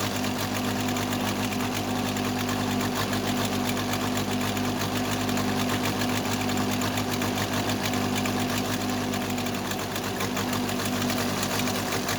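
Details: Case 580C backhoe diesel after valve adjustment, injector lines cracked at idle; uneven lumpy clatter, second cylinder weak; owner suspects second injector, valve or piston rings, not the line: misfire on one cylinder.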